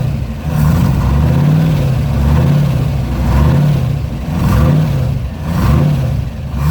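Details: TVR wedge V8 with a new Facet red top fuel pump under the bonnet, fuel pressure at 4 psi: a deep, even burble with smooth throttle blips about once a second, rising and settling cleanly. Normal idle and revving, with no leaks.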